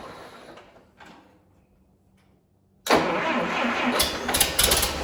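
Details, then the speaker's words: Series IV D17 tractor after head gasket replacement and coolant refill, muffler loose: steady starter cranking about three beats a second without firing; owner found another electrical problem, power at distributor and coil. "All right, I figured out what's going on. We've got another electrical problem."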